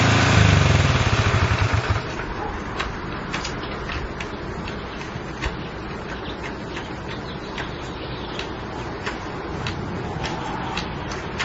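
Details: Honda CL70 single, jets already raised 73 to 75 and 38 to 40: revs briefly, then drops to a low, uneven putter with irregular pops and won't settle at idle. The idle screw is far in; cause suspected, not confirmed.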